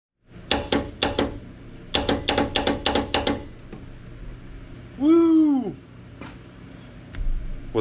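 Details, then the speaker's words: 1986 Ford F350 swapped to a turbo 6.9 IDI diesel, with the burnt, non-working neutral safety switch jumpered. A run of sharp single clicks, about a dozen in three seconds, with no cranking: the starter clicks on a very dead battery. "What that click means is that if this battery weren't so dead, we'd be turning over the engine."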